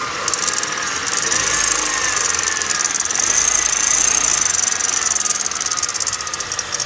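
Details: 2009 Kia Cerato engine at idle: fast light tapping over a busy, thin-sounding idle, steady throughout; engine knock, source not identified.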